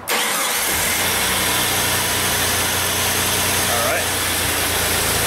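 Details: 2001 Jeep Grand Cherokee 4.0 I6, towed in with crank-no-start and P0320 crankshaft sensor code, after repair; brief crank, catches within a second and settles to smooth steady idle with no misses, healthy start.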